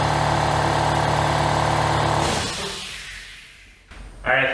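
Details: Worthington 3-TTC air compressor, about 75 years old, heard from about 20 feet away: loud steady motor drone with even hum holds, then winds down and stops; normal running.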